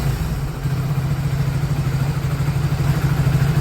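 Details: Hero Passion Plus BS6 motorcycle after fuel pump fitted and connected to the injector, fixing a starting problem where it would sputter and die: steady, evenly spaced exhaust beats at settled idle, no stumbling; normal idle.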